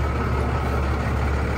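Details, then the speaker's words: Abandoned first-gen Dodge D350 Cummins diesel pickup revived after sitting, idling: deep, steady rumble with an even beat, no misses or stumbles; holding oil pressure, charging, temperature coming up; runs healthy. "so I'm pretty tickled sounds good not missing at all"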